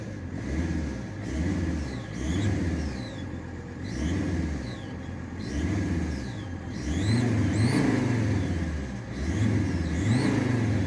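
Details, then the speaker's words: Alfa Romeo 166 large diesel engine revved repeatedly; high chirping squeaks rise and fall with each rev from a broken exhaust manifold seal, not present all the time, louder with the bonnet lifted. "now probably you can hear the squeaking and if you've seen my YouTube YouTube shorts video you will know what I'm talking about basically it has a broken exhaust manifold seal and so it squeaks like um bastard"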